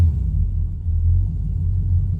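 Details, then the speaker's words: 1969 Chevrolet Camaro SS 350 V8, briefly warmed, choke released and idle cam off; deep even rumble drops a couple hundred rpm to slow idle set by the idle screw, no misses or knocks, normal. "Okay, you can hear it drop down just another couple hundred RPM. So that is the slow idle, and where it's set with the idle screw."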